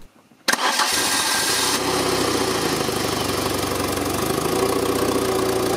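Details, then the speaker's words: Citroën C2 engine, mismatched computer and camshafts suspected, intake air opening modified: cranks, catches and settles into a steady even idle with no stumbles or knocks; normal idle. "by closing a bit more the engine is running perfectly you can hear it clearly I think I have to make up my mind this engine it is undoubtedly impeccable"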